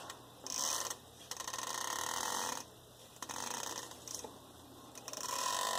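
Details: 2007 Jeep Grand Cherokee WK, new driveshaft only 5 days old, engine off: dry, ratchety creaking in bursts each time the shaft is flexed; u-joints at both ends completely worn out.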